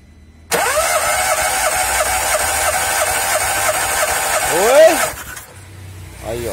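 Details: 2007 VW Polo, hard starting when warm, injectors and coil disconnected for compression test: steady starter whir with even compression pulses; normal cranking, cylinders reading about 150–175, within spec.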